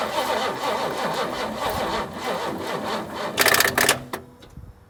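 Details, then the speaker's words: 1968 Ford Mustang after sitting about 8 years, cold, with new battery and extra fuel poured into the intake: starter turns engine slowly and unevenly, dragging then dying off; owner suspects a weak battery, will charge it and check the points. "Alright guys, I think my battery's a little bit weak. We're going to go ahead and get a charger out here, throw a charger on it, and go from there."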